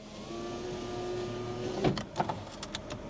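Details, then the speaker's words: Honda Jazz, 138,000 miles: steady electric motor hum from the door, then a few clicks, with no glass movement; the window regulator is broken. "Oh yeah, surprise, surprise, that one does not work. Window rag's gone."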